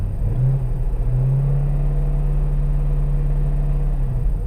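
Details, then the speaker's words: Corvette Z06 V8 after exhaust manifold work, first start: deep, even rumble with a brief rev blip and a smooth settle, no knocks or misses; oil pressure good, no engine lights, running well. "yeah that sounded good all right so I'm happy with this for now"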